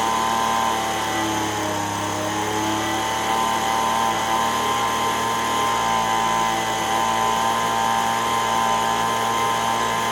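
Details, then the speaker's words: Repaired Echo ES-210 two-stroke leaf blower, roughly 20 years old, formerly surging: held wide open with a high, steady buzz and no rise or fall in speed. Tach 7,100 RPM (spec 7,000–9,000). Clean, normal full-throttle run. "so now that we know that it's running and it's not doing the fluctuation behavior like it was before, I'm going to hook up my digital tachometer here again and see if I can tune it to within the 7,000 to 9,000 RPM."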